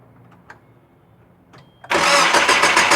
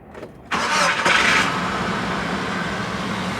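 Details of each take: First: 2000 Nissan Frontier XE 2.4L: after a quiet pause the starter cranks fast and evenly, about three and a half beats a second, but the engine never catches; crank, no start. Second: 2000 Nissan Frontier XE 2.4L with a crank, no-start complaint: short crank catches quickly and settles into a steady, even idle with no misses; starts and runs normally.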